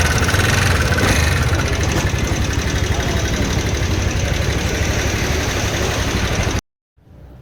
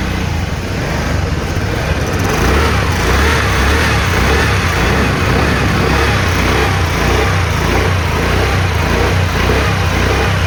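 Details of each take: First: TVS Ntorq 125 BS6 race edition scooter engine noise problem: a rapid, steady tapping about four per second over the idle, pointing to worn rockers, a slack timing chain and tensioner. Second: TVS Ntorq 125 BS6 Race Edition scooter after valve clearance adjustment (intake 0.04 mm, exhaust 0.07 mm): smooth, steady single-cylinder run with an even throb and no knocking or ticking; engine sounds healthy.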